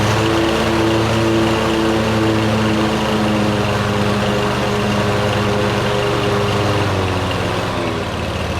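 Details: Cub Cadet GTX 2100 mower, which was making loud noise, blades on, tested after replacing PTO clutch bearing: steady engine drone with blades spinning evenly, no grinding or rattle from clutch; normal PTO clutch operation.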